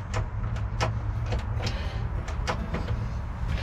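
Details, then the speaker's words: 1996 Mercruiser 4.3 V6 in a boat, seized after sitting 18 years: low steady hum with scattered clicks that drop out and return as the starter engages intermittently but the engine doesn't turn. "you can hear the starter trying to engage now so that's a good thing bad thing is nothing's happening"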